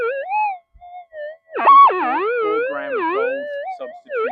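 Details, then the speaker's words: Oversized monster metal detector coil in normal mode near power lines and main feeders: the tone wavers and swoops erratically in fits. Switching to a figure-eight coil cuts much of the interference. Electrical interference from power lines. "you can see all that electrical interference we had before we get rid of a lot of it by going into the figure eight"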